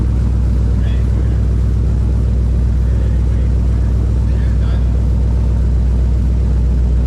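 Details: BMW E46 with LS6 V8 swap, after first startup following reinstall: deep, steady V8 idle rumble with an even, regular beat and no knocks or misses; idling cleanly and healthy.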